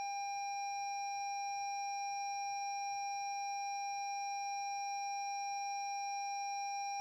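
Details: 2017 Lexus NX 200t with new battery after a reversed-polarity jump-start sparked and sounded the horn: steady high-pitched warning tone, no engine; starter won't crank when start button pressed, warnings displayed; locks, signals, high beams work, fan, parking brake, transmission dead.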